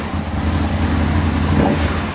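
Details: Aprilia motorcycle idling after throttle cable tension adjustment, cable set as tight as possible without raising RPM when bars turn lock to lock: steady, even low thrum at settled idle, no hunting or rise in revs; idling normally.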